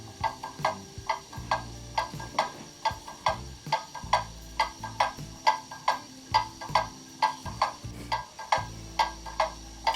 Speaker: there you can hear the movement is in beat i'll put the sound through a sound amplifier to make it easier to hear that is the even tick tock tick tock that you're looking for for your clock to be in beat that is a very steady beat